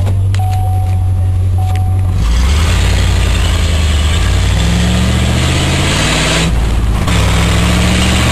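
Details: Ford F-250 with newly installed exhaust, pulling away: deep, even rumble rising smoothly with no leak puffs or rattles; much quieter than before, exhaust healthy.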